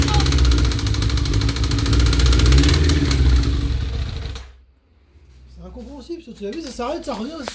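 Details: 1992 Suzuki GSX-R 1100 engine running with a fast, fairly even beat of about four pulses a second, then dropping away; intermittent engine noise, cause unclear.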